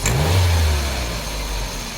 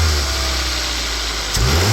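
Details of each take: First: Gasoline/LPG engine, complaint of hesitation and weak climbing when pulling away: quick throttle blip gives rough lumpy rumble and shaking, then uneven idle; cylinder 2 misfire, coils and plugs to be replaced. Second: Petrol/LPG car that hesitated on takeoff and lacked power on hills. After replacing four ignition coils, plugs and wiring, the cable throttle is pulled sharply: the engine idles evenly and blips cleanly twice with no stumble or knock, running normally.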